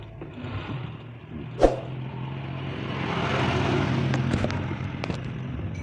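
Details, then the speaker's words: Honda Scoopy CVT after re-greasing a clutch-unit bearing that had been making a rough noise: smooth engine drone rising with throttle, no rumbling or scraping from the belt drive. The scooter had earlier lost power and struggled to about 20 km/h on hills; the CVT now sounds normal. "tetapi sekarang sudah saya tambahkan pelumas dan mesinnya berjalan halus, tidak ada suara aneh."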